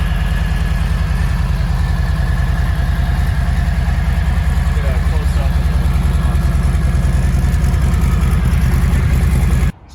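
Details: 2020 Harley-Davidson Low Rider S, stock exhaust, about 170 miles, after warranty compensator replacement: even, lumpy V-twin idle about 200 pulses a minute, deep exhaust thump, no knocks or rattles; sounds healthy.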